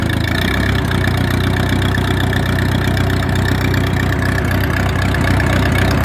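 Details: Massey Harris 22 tractor, very cold, sticky clutch, plenty of gas, fuel line suspect: slow, uneven starter chugging turns engine over but it never catches; cranks but won't start, cause suspected, not confirmed.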